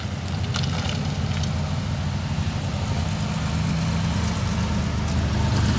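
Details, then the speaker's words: 99-mile 1981 Honda CBX1100 with carbs rebuilt and tuned after sitting 40 years, all fluids new: deep smooth six-cylinder burble holding steady at idle, no misses or top-end clatter; idling nicely. "I had one of these new in 1981 this runs better than my new one did 40 years ago"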